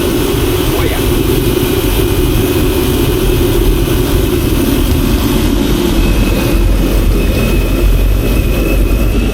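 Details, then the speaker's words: Diesel space heater, unused 3 years, after fixing a broken spade connector, run without cap: constant even roar with no misfire; normal running, though owner thinks it runs a bit rich and smokes from burning off old fuel. "it's running a bit rich but maybe it's just the fact that it hasn't been running for 3 years it's BN off all the old stuff out of it"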